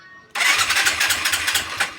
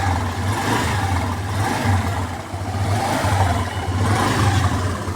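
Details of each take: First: Skydrive 125 scooter, battery 12.5 V, carburetor already opened by a mechanic who blamed a valve: electric starter whirs and churns steadily but engine never catches; no spark at the plug. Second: Skydrive 125 motorcycle that had stalled and wouldn't start, now running evenly with a low thrum and revving cleanly after replacing the spark plug; it started on the push start.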